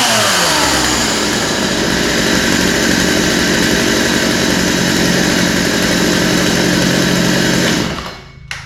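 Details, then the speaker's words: Poulan 2150 chainsaw after the pull rope was reinstalled: a steady, high two-stroke buzz that holds clean without stumbling or surging until it cuts off; runs well and needs no carb adjustment. "so that sounds really good uh kind of right out of the box um yeah doesn't sound like it needs any adjustment at all um seems to be running good"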